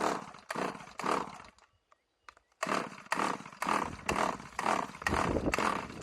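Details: RedMax two-stroke weed eater that sat for years with a bad carburetor, run on sprayed mixed gas with Lucas 2-stroke oil; ragged rasping bursts with dropouts and a knock when throttle is released; runs rough, owner believes it blew up.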